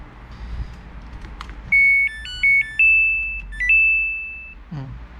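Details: Samsung control board on the bench after replacing the faulty part: a clean rising electronic tune of several steady tones plays on pressing start. Before the repair, start only beeped and the machine would not run, so the board now responds normally.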